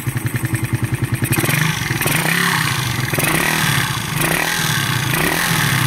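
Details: Engine another shop said needed a bottom-end overhaul: fast ticking at idle turns into harsh metallic clatter rising with each rev; cam lobes and tappets worn.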